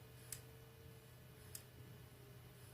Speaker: So this is a cheap Chinese dial test indicator, and you can hear it working. The spring pressure is less and it's not as smooth.